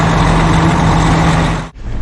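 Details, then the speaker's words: Diesel truck stuck in deep snow, finally started after new batteries, jump starts and long cranking, owner suspects frozen starter: steady deep idle with no knocks or misses while warming up; running fine. "finally some trucks warming up thank god i got it started like i said that's never happened before"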